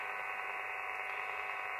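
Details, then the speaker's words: Elecraft KX3 receiver on MacBook Pro via KX3 USB control cable and Sound Blaster: steady hiss with faint hum when RX IQ cable plugs into sound card; vanishes unplugging either sound card or KX3 USB; interference, source not pinned down. "if I unplug the sound code it always goes away if I unplug the kx3 USB [Applause] noise goes away"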